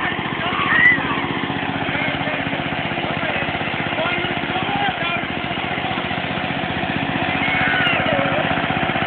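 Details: Idling engine, owner notes oil burning up: fast sharp puffing tap on every firing pulse, typical of an exhaust leak.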